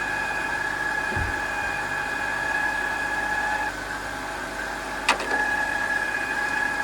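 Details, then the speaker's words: BMW E39 Touring awaiting LS swap, idling: steady high-pitched chirp/squeal unchanged; owner suspects bottom idler or power steering. "that didn't help at all maybe it's the bottom one maybe it's power steering"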